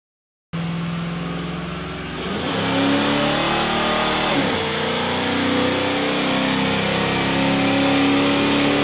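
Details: 1974 Pontiac Firebird V8 on a dynamometer at wide-open throttle, carbureted, pulling hard with a rough, stumbling note as revs climb; misfire under full throttle, cause unknown.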